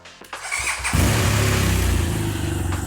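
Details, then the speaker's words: Rebuilt auction-damaged 2014 BMW R1200GS after adding coolant and clearing ABS-sensor and backfire fault codes: a short crank, then the twin catches cleanly into an even, deep idle of about four beats a second with no misses. Healthy start. "Okay. And it started really nice. Um, it sounds fantastic. Wow. This sounds so good. And it sounds so powerful."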